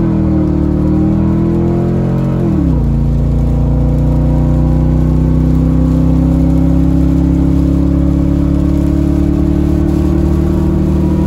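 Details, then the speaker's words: 2007 Ford F-150 V8 after a spark plug change to E3 Diamond plugs, quick sound test: revs drop to a smooth, steady drone with no stumbles, skips or cutting out; normal running, no misfire. "As you can hear, she's purring like a kitten. Dustin's gonna give you just a quick sound test on her. So as you can hear, no misfire, no cutting out. Everything's doing great."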